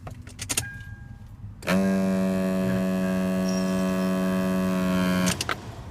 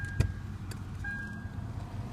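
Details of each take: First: Lexus IS300 dash behind glove box: clicks then loud steady buzzing grinding drone when key turned on, regardless of AC; HVAC actuator, silenced by unplugging it. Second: Lexus IS300 with the key on and the glove-box AC actuator unplugged: quiet cabin with only a low hum and faint whistle. The grinding behind the glove box is gone and AC still works; the real fix is adjusting the actuator gears.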